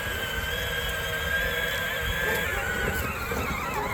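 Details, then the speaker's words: Peg Perego John Deere Gator 20V ride-on toy on DeWalt 20V battery, after motor replacement, slow setting: steady mid-pitched electric whine with smooth gear hum, no clicking or grinding; old motor had died making a terrible noise. "I'm pretty sure it doesn't make that noise yeah fixed it"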